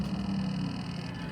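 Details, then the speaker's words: Sea Ray with twin Mercury Verado 350 outboards, theft recovery, put in neutral after programming: continuous low electric whir as shift actuator hunts; lower unit installed wrong so it can't reach neutral, lower unit must be dropped and adjusted. "the actuator is going off like crazy because somebody put put the lower unit on wrong so it can't go into neutral"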